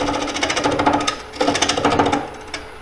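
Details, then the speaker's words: Ellsworth gouge on a spinning square bowl blank: rapid rattling buzz in bursts as it bites; tool chatter, cause unclear, possibly wrong gouge angle, and the tool rest is moving. "And I'm getting a lot of chattering in here. I don't know why. Probably because don't have the right angle on this gouge."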